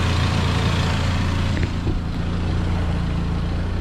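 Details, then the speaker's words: Saab 9-5 after the engine mount was replaced and a leaking timing chain tensioner seal was fixed: a steady, even idle with no knocks, ticks or misses. The engine sounds healthy. "engine sounds nice and healthy"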